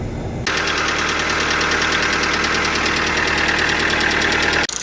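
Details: Lada Largus/Vesta, hot idle with the oil pressure lamp flashing and then staying lit: fast, uneven light tapping about three times a second, hydraulic lifters knocking as the heated oil loses pressure; thicker oil needed.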